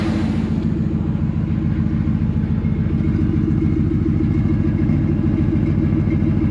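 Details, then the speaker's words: 2000 Ford F250 2WD extended cab with a Flowmaster muffler: lumpy low rumble at fast idle with fast regular knock; owner suspects rod or main bearing knock, unconfirmed. "i have a feeling this is going to be a rod knock or a main bearing knock or something like that"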